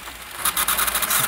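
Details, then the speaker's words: VHS-C tape rewinder (separate rewinder unit, 1990s tapes): loud scraping whir with fast rhythmic rubbing pulses rising toward the end; the rewinder mechanism runs rough and noisy, so it was stopped. "this one was making a hell of a noise rewinding I had to stop it give it a quick yeah oh"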